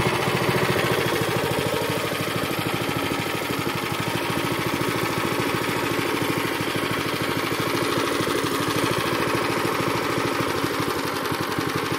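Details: Zipper plate compactor that had smoked, run unevenly, stalled and lacked power, after its fuel system was cleaned and flushed and a strainer fitted: the single cylinder chugs evenly with regular firing pulses and no misses or surging, the repair judged successful.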